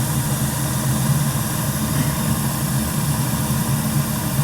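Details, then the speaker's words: First firing of a newly installed gas boiler with three circulator zones, high limit set at 180°F with a 15° differential: a steady, low, even roar with no surging, knocking or rattles; it fires smoothly and runs normally. "Flame contact, flame current zero. We should be ready to rock."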